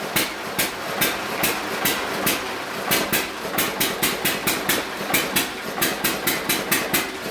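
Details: Hit and miss engine on a dyno with full load put back on: sharp firing bangs about every second, nearly every cycle with few coasting gaps; engine pulling heavy load healthily, normal hit and miss running under load.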